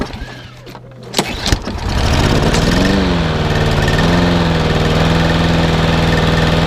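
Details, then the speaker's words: Garden strimmer after sitting all winter, started on a chilly frosty day after priming and a few pulls; it catches and settles to a steady, even idle for warm-up, normal warm-up idle. "as you can hear my little high-tech is now taking over quite nicely in your background just we'll give it a warm up"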